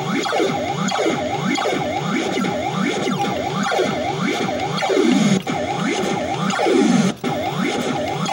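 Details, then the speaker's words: Gorf arcade game board 3 after custom chip B was cleaned with a Dremel; boots, watchdog working, speech and sound effects (swooping sirens, warbling tones) play cleanly over a faint steady whistle that may be normal. Chip B revived. "See, it's booting, so you know the watchdog part of that chip is working correctly. Push A player button. Robot Warriors Seek and Destroy the Space Cadet. Sounds working."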